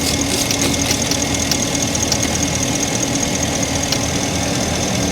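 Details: Idling V8 on a 2012/2013 Ford F350 with code P06B6 knock sensor performance; faint irregular sharp ticks and snaps heard as knocking, water sprayed on coils shows visible sparking: ignition coil arcing, not the knock sensor.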